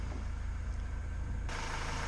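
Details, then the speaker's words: 2006 Ford Transit 2.2 diesel: lumpy, uneven low idle with a harsher rasp cutting in and lots of smoke; EGR valve stuck open, choking the engine; to be blanked off. "so as you can see lots of smoke come that back and that's basically because we're the EGR valve is stuck open it's basically where that's basically because we're the EGR valve is stuck open it's based on sucking in unburned like burnt gases basically choking the engine"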